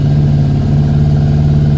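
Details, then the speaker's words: Yamaha Thunderace YZF1000 warming up on choke after fixing kinked fuel lines under the tank: smooth even low drone at steady idle, no misses or knocks; normal idle. "it's already sounding better because it's picking up waves I should be able to shut the choke off certainly should continue to keep running"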